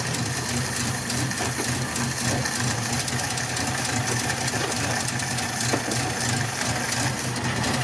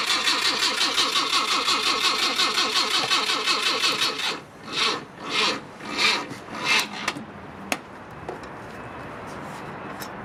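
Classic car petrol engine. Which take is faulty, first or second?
second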